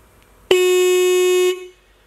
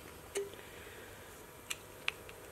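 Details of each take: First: Restored Mitsuba horn from a 1965 Honda S600, after cleaning: one clean, steady one-second honk with a clear, strong tone and no rasp or flutter, a healthy horn. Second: 1965 Honda S600 Mitsuba horn on a 12 V bench supply during restoration: turning the contact adjusting screw changes the tone and it sounds worse, giving a single half-second buzzy, rough mid-tone honk after faint taps.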